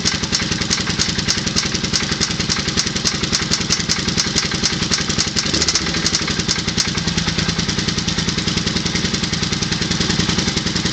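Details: Suzuki VZ800 V-twin motorcycle at idle: loud, steady knocking, found to be a spun big-end rod bearing.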